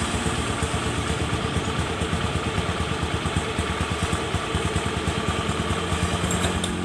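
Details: Honda Beat scooter after jumping the starter relay wiring to stop starter chattering: steady, even low putter at idle with a regular beat and no knocks, rattles or starter chatter; normal idle.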